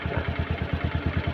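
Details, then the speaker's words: Honda Scoopy/Vario 150 scooter with idling stop not working: slow, lumpy idle about nine thumps a second, near stalling; idle RPM set too low, which stops idling stop working; fix is turning the idle screw right to raise RPM. "dengan adanya ini biasanya dan biasa ke kalau RPM rendah seperti ini itu sebabnya tidak berfungsi teman-teman"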